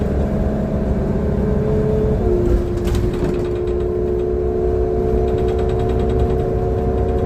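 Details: Transperth bus TP1422, heard onboard: diesel drones under a steady tone that drops in pitch partway through, with road rumble beneath; bad engine sound, cause unclear.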